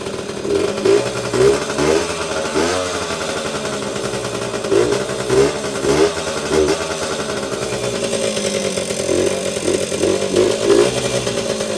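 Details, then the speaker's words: 1977–1979 Yamaha GT80 two-stroke enduro, first start in years after oil change, on choke, low on two-stroke oil: buzzy high-pitched ring-a-ding in quick rev bursts rising and dropping cleanly, little smoke; normal running. "Didn't take long to start, and yeah, these old two-strokes, man, just start right up."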